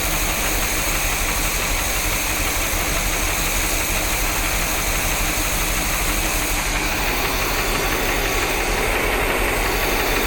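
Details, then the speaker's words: 1973 Corvette 454 big block, hot, with rebuilt carburetor and a miss on #8 cylinder: warm V8 idle with a slight shake and a faint quick tick from under the rocker cover; owner suspects a lifter not fully pumped up. "of sounds like it's coming from underneath this rocker cover it might just be a lifter that just needs to pop up just a little bit more"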